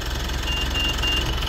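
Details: Mitsubishi Montero Gen3 diesel, about 48k mileage, after replacing the alternator pulley: steady, even idle with smooth low rumble, no chirp, squeal or rattle from the belt drive; running healthy.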